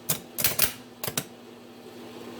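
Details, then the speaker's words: Diesel starter on bench, jumper-wired: sharp metallic clicks in pairs, no motor spin; solenoid throws the Bendix drive but contacts pass no current. "Doesn't spin at all. It goes in and out. Where the Bendix goes in and out."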